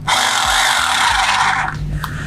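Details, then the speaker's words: Mollar HD826 800 W SDS Plus hammer drill fitted with an adapter, hammer-drilling concrete: harsh, even chattering bite for about a second and a half, with no slipping or stalling; the hammer is working properly. "Nah dengan adaptor ini dia masih bisa ada hammernya ya"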